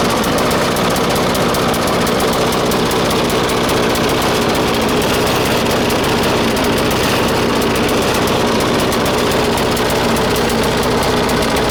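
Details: 1996 Murray 20-inch mower, 4 HP Briggs & Stratton, cold start at 3°C after 10 months sitting, bad primer bulb. It runs rough and ragged with hunting, uneven knocking: lean and underfuelled. A different spring was fitted to raise idle; owner says it may need spring adjustment.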